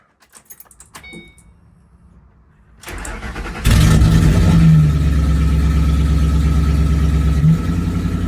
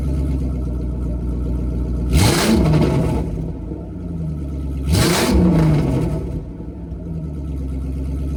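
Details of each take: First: First startup of an old Ford 3V after fitting a Ford Performance intake manifold and throttle body, with a stretched intake hose and a slight oil leak: cranks, flares high, then holds a rough, lumpy, unsteady idle. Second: Ford 3V V8 with newly fitted Ford Performance intake manifold and throttle body after a rough first start; steady deep idle with two quick clean blips, no knocks or rattles, sounding healthy.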